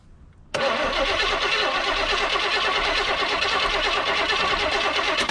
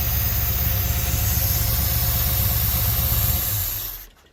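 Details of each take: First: 1972 Chevy C10 crate 350 V8 that had sat for 8+ years, rear tires off the ground, gas poured in. Even cranking at about three turns a second for five seconds with no firing; no spark, the ignition coil was found bad and replaced. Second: 1972 Chevy C10 crate 350 V8 that had sat for 8+ years, first run with a new coil. It idles steadily with a slight cam lope and no knocks or lifter tick, then shuts off; a healthy normal idle with a mild cam.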